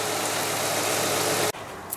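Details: 2008 Toyota Highlander 3.5 V6, idling after an alternator replacement: smooth, even idle hum with no knocks, ticks or whine before it cuts off; engine sounds healthy, normal idle.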